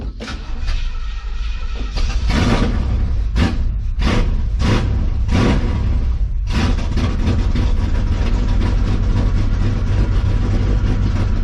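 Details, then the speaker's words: 1970 GMC truck V8 started after fuel delivery troubles, not yet warmed up: starter churns, engine catches and settles into a low, lumpy, crunchy idle; running rough, idle likely needs setting up higher. "pop off the water a little bit lord she's crunchy i may have to set that idol up a little bit"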